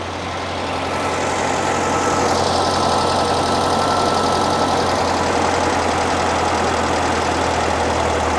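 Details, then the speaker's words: 1975 fuel-injected VW Beetle flat-four idling after intake boot replacement and vacuum leak fixes, warmed a few minutes; idle smooth and even, still a little high at about 1100 rpm, no misses or surging; running healthy. "Sounds happy there. But she's running good. She's running smooth."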